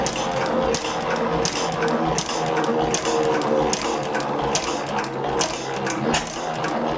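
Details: 1903 Gardner stationary engine no. 3543, first start after rebuild with new crankshaft, cylinder and exhaust valve box, flick magneto and Gardner carburetor, running on petrol: sharp clattering firing beats with busy valve chatter, a bit fast but even, needing fine tuning.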